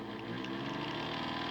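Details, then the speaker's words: Stall current test on homemade DCC decoder tester model-train motor at full throttle: steady strained buzz with hard-pushed whine, no pitch change, pulled down near stall until it dies; owner plans to replace the motor. "that's pulled full-bore yeah she died in here"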